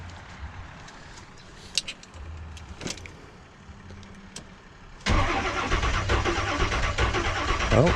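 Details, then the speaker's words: 1984 Monte Carlo SS, 350 V8 with TH350, newly acquired, first start after sorting battery cables and ground: faint cranking, then fires and holds strong, even rumble; starts normally. "all right now that the battery cable situation is sorted out Let's uh see if anything happens"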